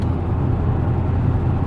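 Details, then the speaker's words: 2015 Dodge Challenger SRT 392, 30k miles, driving after replacing the failed 3.09 rear differential that groaned and growled at low speed: only steady road and tire rumble, no groan, whine or clunk; quieter than before, diff fixed. "I mean just listen to that no clunking it's actually quieter if you can believe that all I hear is tires"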